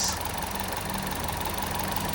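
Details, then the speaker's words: Chevrolet Trax, long unused and not starting, now running again after repair with stale fuel smell: even, steady, quiet idle with a soft regular patter, no knocking or ticking. "Yan tahimik na mga boss yung andar ng ating Chevrolet trucks."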